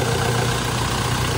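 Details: Toyota Fortuner after ECU electrical problem fixed: short stretch of steady, even idle, low smooth drone, no misses or knocks; engine healthy.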